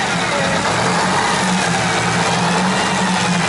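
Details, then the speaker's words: Diesel running, loud and steady with a raspy chuffing edge; definitely an exhaust leak, near the turbos, which will be removed, overhauled and sealed. "see your Snivy definitely an exhaust leak then yeah crank it again yeah because if we can fix the late definitely exhaust like that"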